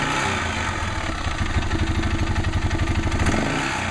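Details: Arctic Cat 650 H1 single-cylinder idling with the clutch parts and belt removed: an uneven loose rattle/knock rides on the low thump, about three per second. Owner says it is much louder with the clutch and cover back on. Source unknown.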